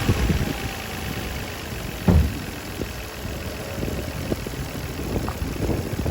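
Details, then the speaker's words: 2004 Nissan Maxima 3.5L with codes P0171/P0174, lean on both banks, and rpm rising and falling at idle: lumpy, shaking idle with a faint thin whistle; vacuum leak from a cracked PCV hose. "I something I'm hearing some kind of like there I can hear like some like BL like a whistle I can hear that"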